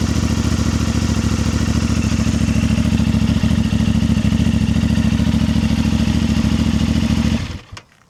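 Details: New 2025 CFMoto 450MT twin: steady, even idle with a smooth regular beat and no knocks or rattles before the engine is switched off; sounds healthy.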